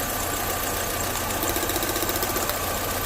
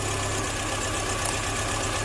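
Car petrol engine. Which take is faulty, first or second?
second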